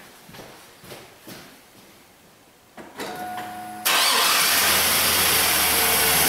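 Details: Chevrolet 1500 4x4 with replacement 5.3 V8 after blown engine, fired back up after install: brief crank, catches cleanly, loud steady idle with no knocking or misfire; normal start and idle.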